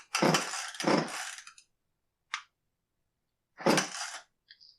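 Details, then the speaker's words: Echo CS271T top-handle chainsaw that won't start: three rasping pull-starter bursts, never catching or firing; the fuel tank seems full of bar oil while the bar oil tank is empty, so the customer apparently filled the wrong tank and maybe primed it. "well it definitely doesn't start now if he just dumped Bar Oil in the fuel tank I mean it would still pop or start or something right"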